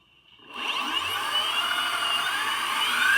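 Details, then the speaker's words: Boosted Board 2 motor spun unloaded with the wheel off: a smooth, high electric whir with no clicking; the board's clicking is believed to come from a faulty bearing inside the motor. "it sounds it sounds fine but um yeah it's not moving just because this is on the ground"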